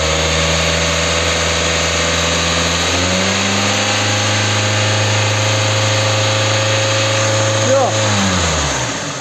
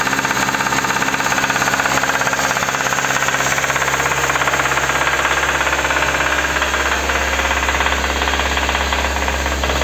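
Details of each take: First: Kia K5 after replacing knocking connecting rod bearings without engine teardown. Revved smoothly to about 4000 rpm with the hood open, it holds steady and settles back with no knock or rattle: normal revving. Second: Kia K5: sharp, regular metallic knocking about three times a second over the idle, deep in the bottom end; connecting rod knock, fixed by replacing rod bearings from below without engine teardown.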